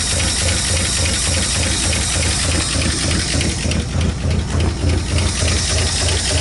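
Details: 1959 Ford Fairlane 500 Galaxie V8, first start in over 20 years: lumpy, uneven idle with a knocking beat about three per second and a stumbling rhythm, misfiring; cause not confirmed.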